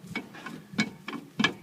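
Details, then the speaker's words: 1972 Ford Mustang Mach 1 on lift, rear axle turned by hand: light rhythmic scraping ticks about three a second, some rear-end play; brakes suspected, drums to be pulled. Worn rear brake shoes scraping. "got a little play it I've seen worse it was worse on the 69 it's got a little bit you can hear the gears that's probably the brake pads actually"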